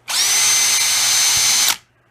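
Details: Masterforce 20V two-speed 1/2-inch cordless drill/driver with a brushed four-pole motor, running with no load: steady high-pitched whine, smooth spin-up and clean rundown, no rattle or grinding; normal no-load run.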